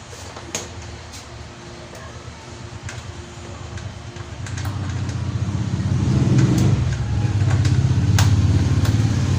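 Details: Yamaha Mio scooter: low rhythmic chugging about three and a half beats a second that swells but never catches cleanly; hard starting.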